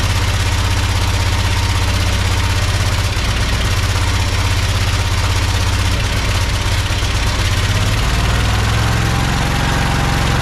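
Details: Project tractor's small single-cylinder engine, fed fuel from a Lucas oil additive container into the hose, with a slightly leaking fuel pump diaphragm. It chugs at a steady idle, firing evenly with slight unevenness. Fuel supply and carburettor are working. Normal idle.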